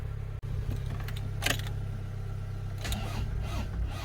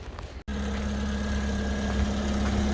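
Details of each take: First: Car with a battery that won't hold its charge, being jump-started from another car (Alfie) in the rain. Steady, fast cranking churns on for seconds with brief pauses and never catches; it turns over but won't fire, long cranking, no start. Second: Car restarted after the battery gained some charge. A steady, even low idle after a short gap with no knocks or misses; the engine runs smoothly, normal idle.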